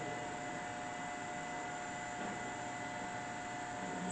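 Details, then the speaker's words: Brown & Sharpe Model 612 Valumaster 6x12 hand-feed ball roller surface grinder, original paint, Walker chuck, spindle running: steady, even hum with a constant mid-pitched tone and no knocks or grinding; the grinder runs smoothly and quietly. "Bringing the spindle on. Very quiet."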